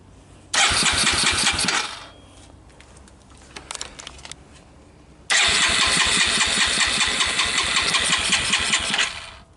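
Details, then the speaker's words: 1985 Suzuki Quadrunner LT230 shaft-drive ATV, barn find, cold first start: single cylinder catches raggedly about a second, dies, refires several seconds then stalls; owner suspects gas from jostling gave a quick start and choke isn't connected. "There was probably some gas in it from jostling it about that gave me a quick start."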